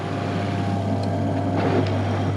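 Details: Toilet macerator pump at a bed and breakfast, after removing two components that caused rattling, likely including a lid chopped in half inside: smooth, even motor hum with a steady low drone and no rattle or knocking; running cleanly after repair.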